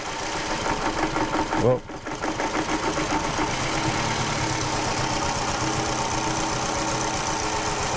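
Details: Toyota Camry with rough running, power loss and heavy vibration, idling with coil two pulled to check for arcing: rough, uneven, stumbling idle, no coil arcing heard; misfire likely from a bad coil, not confirmed; plugs in poor condition.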